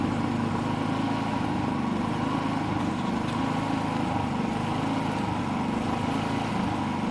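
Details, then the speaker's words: Predator 3500 generator, three years old, started after months in storage, running with no load: steady drone with gentle rise and fall in speed, varying about 100–200 rpm. Slight idle hunting, not severe. "it's not hunting real hard but it is varying rpm by maybe 100 to 200 rpm"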